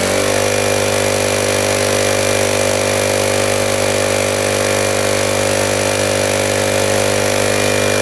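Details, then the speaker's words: Gas pressure washer after no-compression fix by valve adjustment, just restarted warm: steady, smooth, fast high-pitched small-engine drone with no misses or knocks, idling very high and smoking, owner suspects oil somewhere. "seems like it's I that's really high and let maybe that's normal I don't know but it's smoking for sure"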